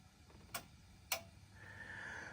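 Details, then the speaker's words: Japan-made General Electric stereo being tested: turning the knob to the right gives two crisp, separate clicks in a quiet room, a clean detent action showing the control works normally. "when I turn this to the right side you're going to hear a clicking sound so that is good that means that this is working"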